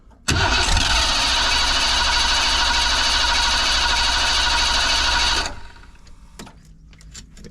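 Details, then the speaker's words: 1987 Ford van, long-parked former school van, not carbureted: steady fast cranking about three turns a second for five seconds without catching; fuel pump runs but builds no fuel pressure, seems to want to fire. "See, it kind of wants to do something, but we're not getting anything."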